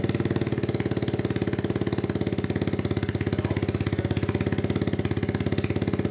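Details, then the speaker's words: 1986 Honda Fourtrax 200SX single-cylinder, first start after a resleeved cylinder, new piston, rings and gaskets. Fires immediately but idles with a loping, uneven pulse. Rough running; owner suspects a new spark plug would help. "first time we tried to start it there fired right up immediately so couldn't be more pleased about that um it's not running exceptionally well yet um I think we should probably get a new spark plug that would probably help"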